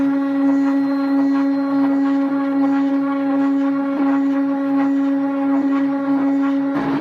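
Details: DIY CNC machine test run at 250 mm/min feed: a loud, steady humming drone at one pitch while the X axis vibrates heavily, then it cuts out. Cause of the noise is unknown.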